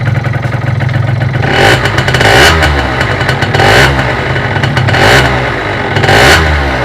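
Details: Derbi Euro 3 engine revving up and down with a metallic rattling clatter; owner suspects a bearing, source unconfirmed: metallic engine noise.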